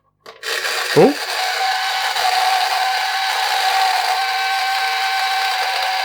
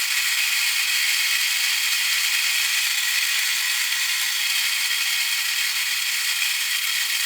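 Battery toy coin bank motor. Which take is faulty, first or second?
first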